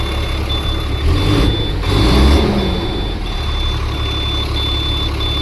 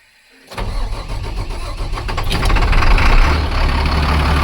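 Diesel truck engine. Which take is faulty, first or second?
second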